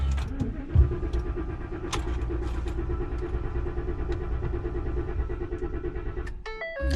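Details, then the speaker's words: 2014 Ford F-150 Raptor with a good battery and no check engine light: the starter spins the engine strongly and evenly for about six seconds but it never fires, due to no fuel delivery from a blown fuel pump fuse (fuse 27). "cranks but it won't start and i know the battery is good there's no check engine light"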